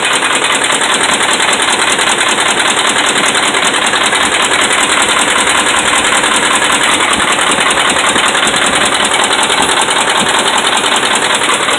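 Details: Dodge Ram 5.7 Hemi held around 1,600 rpm (kept under 2,000): fast, steady harsh metallic rap through the engine; bad connecting rod and crankshaft main bearings.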